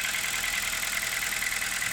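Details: 2016 Kia Rio idle: fast, light top-end ticking over a steady hum, even throughout. It persists after new, measured-size hydraulic lifters were fitted and sometimes disappears. Cause unknown.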